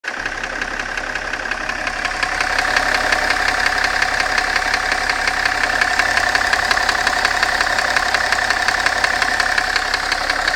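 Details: BMW M57 diesel at idle with a sharp, even tick-knock about three times a second; more distinct when the engine is hot, source not yet found; engine knock.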